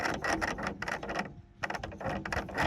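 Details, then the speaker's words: Battery-powered cordless tool from a trash haul, dead unit: short bursts of high motor whir with loose gear chatter and no output movement as the motor spins freely; gearbox completely stripped. "one, no movement at all. The gearbox is completely let go on this thing."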